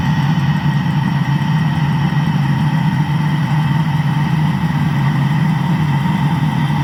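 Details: Land Rover engine after an engine block repair, idling smoothly and evenly with a steady low drone and no knocks, ticks or misses. The engine sounds healthy.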